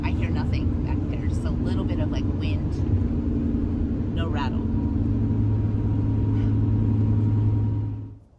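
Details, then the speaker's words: Winnebago Revel 4x4 van cruising with the sliding-door window shade left up: steady road rumble, engine drone and light wind noise, with none of the usual window rattle. "however the window rattle has been something that we just haven't been able to find a solution for and it's still not rattling"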